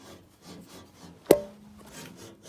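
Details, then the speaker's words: Logosol PH260 being turned slowly by hand during a strip-down: soft repeating rubbing swishes and one sharp click from internal parts rubbing, which left a heat spot; loose nuts were found nearby. "this wasn't making a noise but something's rubbing over there we need to check that out otherwise we'll have something overheating or worse"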